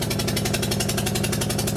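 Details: Toyota Camry with suspected bad head gasket, warming up until the thermostat opens, one spark plug removed: loud idle with uneven lumpy pulse about ten beats a second, one dead cylinder.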